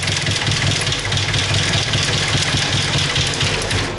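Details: Ford Sierra, first start after rerouting the fuel lines: rough, loud clattering idle with a heavy steady low knock each revolution, and it reluctantly takes fuel. Internal engine knock; cause unconfirmed.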